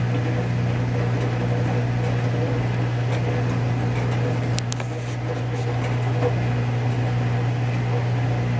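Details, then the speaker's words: Whirlpool Duet Sport front-load washer after toaster-oven solder reflow of control board fixing F-1 relay error in final spin: low steady motor hum, drum turning slowly to measure balance before spin, no rubbing or knocking; normal. "Yeah, I think it's going to balance now and it's actually going to spin it. See how it's, the drum is moving, so it's spinning it and measuring for balance, and once it's balanced then it's going to start spinning with speed."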